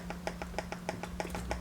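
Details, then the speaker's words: Yamaha mixer headphone output: soft rapid ticking, about six pulses a second, over a steady low hum; pulsing board fault, transistors being tested with an oscilloscope. "there is a pulse setting sound that you can hear to the headphone that's the problem with the board and then we try to diagnose what is the faulty component"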